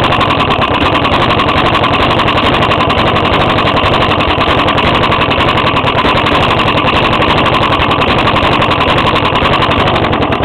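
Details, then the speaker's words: 5-year-old 4hp Briggs small engine running: rough, uneven knocking beat over the exhaust note and hard to pull-start; owner suspects rod knock, unconfirmed; hole in intake tube at carburetor and fuel spitting also noted. "think this got a rod knock actually cuz see it's really hard to pull it right now I think the rod inside blcks he here"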